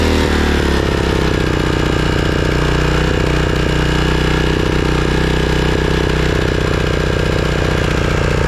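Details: Craftsman riding mower single-cylinder engine after replacing completely clogged carburetor that caused surging: catches after brief stumble, settles into steady even beat about four pulses a second, no hunting; normal idle.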